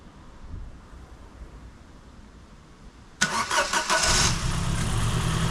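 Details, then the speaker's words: Ford Fiesta Mk7 1.25 with swapped-in replacement engine after flood damage, started briefly with no coolant: starter whirrs about three seconds, then it catches and settles into a steady, even idle with no knocks; a warning light on, owner thinks it's nothing bad. "oh engines running right suppose it's scripting in it i bag lights on some reason but that's probably nothing bad but seems to be running fine"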